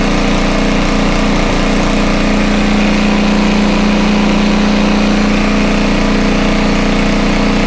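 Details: Homelite 2500 W generator, no load: steady even drone at constant pitch, no surging or misfires; normal no-load running, speed could be a little higher but pretty decent.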